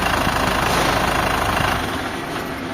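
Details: Isuzu 4JB1 diesel after injector repair and a crankshaft sensor replacement, which cured hard starting: now starts on one crank, with a short burst of steady, even idle and no misfire or stumble; normal idle.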